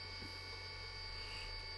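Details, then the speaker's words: Commodore Amiga A500 booting via A590 from an Iomega Jaz drive: steady high whine from the spinning disk over a low hum, even and clean as it loads; normal drive spin-up while booting. "let's see if it does actually boot yeah sounds like it yeah it's loading"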